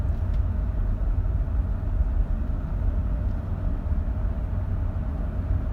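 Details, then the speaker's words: Land Cruiser 80 series on a drive over bumps that used to cause a front-end sound, after front stabilizer bushings were replaced. Only a steady low road rumble with no pops or clunks; the suspension sounds tight, with no clunk. "I went over some of the bumps and some of the stuff that used to cause the sound, and I'm not getting any sound."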